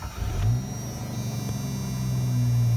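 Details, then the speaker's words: Work truck with about 68,000 miles: engine catches quickly, revs briefly, settles into even steady idle with no knocks or misses; starts and runs fine, no check engine light. "I really like this car a lot I mean I like it a lot it runs and drives excellent let me start it up for you real quick"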